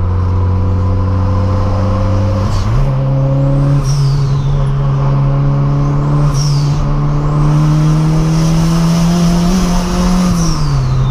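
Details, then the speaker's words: 1996 VW Gol 'bolinha' turbo conversion, hard pulls through the gears avoiding the 2nd–3rd shift: tone climbing with road speed over the engine; owner suspects gearbox (long-ratio transmission) whine, not confirmed, planning a coconut oil top-up. "é mas acho que vocês estão conseguindo que eu mando o som do barulho que o carro tá fazendo causa do câmbio né"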